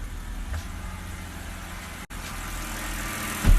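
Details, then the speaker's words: 2007 BMW 325i E90 petrol engine idling with a low, steady, even hum after ignition coils and spark plugs were replaced; the earlier misfires, mainly cylinders 4 and 6, are gone, with no shaking. Only an intake VANOS code remains. "All the misfires are completely gone this time. The car starts fine. No issue at all. No misfire."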